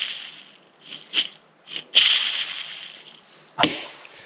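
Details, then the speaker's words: Removed clutch release bearing from an AE86, with a stage 1 clutch bought in 2015: short dry, gritty rasps as the loose bearing is turned by hand, ending in a sharp clack; the worn bearing is dead. "il y en a un auquel j'avais pas pensé c'est la butée d'embrayage ça c'est la butée que j'ai enlevé écoute le bruit"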